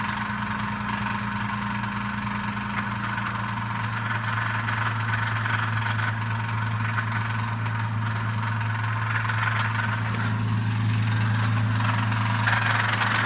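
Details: Engine at idle with a steady hum and a faint regular tapping, about three per second, riding over it. This is a possible engine knock whose cause is not evident.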